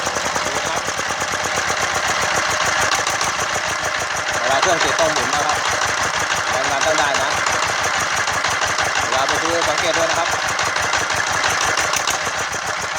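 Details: Yanmar TF115 11.5 hp single-cylinder diesel, freshly rebuilt (new liner, piston, rings, bearings) for hard starting, first start, not throttled up. Crisp even knocking at a steady slow beat, no misses; normal idle, governor not yet set.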